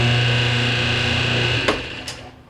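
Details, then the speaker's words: Whirlpool conventional (non-high-efficiency) top-load washer, model RAX7245KQO, won't spin; steady electric buzz from the motor with no spin during spin cycle, then a couple of clicks as it stops; diagnosed as a broken motor coupling between motor and transmission. "all right so that sounds to me like a motor coupling uh in order to verify it I'm just going to tilt the machine back um reach with my hand in between the motor and the transmission to where the motor coupling is and see if I can feel that it's broken or not"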